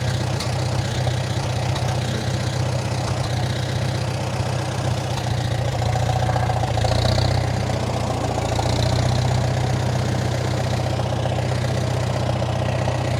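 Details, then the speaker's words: 1947 Farmall M, first start after sitting all winter: low, uneven idle that lopes and stumbles; rough running from nearly year-old regular pump gas (not non-oxy) left in the tank, stale and water-contaminated. "it was regular pump gas it wasn't non-oxy so that's my own fault i left it in there all winter as you can heal as you can hear it's still running quite rough"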